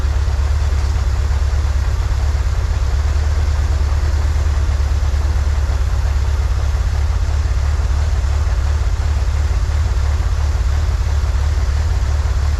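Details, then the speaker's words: 1963 Corvair flat-six after vacuum leak fixed, new PCV valve, fuel mixture adjusted: steady even low idle, no misses or knocks, slightly high; "that's the sweet spot," idle to be brought down. Normal idle. "yep that's the sweet spot we found it h yeah all right idle's still a little high though let's bring it back down"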